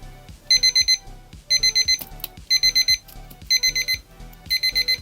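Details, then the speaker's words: 1999 Thunderbirds alarm clock under repair with its front housing off. Bursts of four quick high beeps once a second keep repeating and the silence button does nothing. A damaged circuit-board track is suspected. "That button doesn't seem to make any difference in silencing it."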